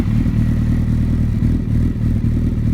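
Low, heavy idle with an uneven, clattery beat that lurches instead of running smooth: a rough idle, cause not yet pinned down.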